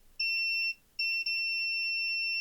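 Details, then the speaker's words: AXUS USB keyboard with no power, multimeter continuity test on cable while wiggled: steady beep drops out briefly twice; intermittent connection, wire break or bad internal connection suspected. "So, you can hear that is a bit temperamental. So, I don't know whether there's a break in the wire somewhere."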